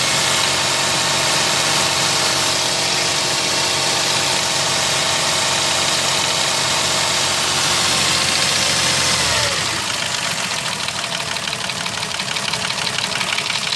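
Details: Mercedes M112 engine with scored cylinders/pistons, driven knocking for three months: steady idle with a fast, regular metallic knock keeping pace with engine speed, deep in the engine; cause suspected, not confirmed.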